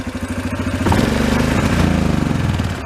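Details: 2003 Yamaha Kodiak ATV that revs then breaks up and tops out around 15-20 mph; fuel was drained. Slow, lumpy single-cylinder idle at about four beats a second; a throttle blip swells then sags flat, mixture too rich.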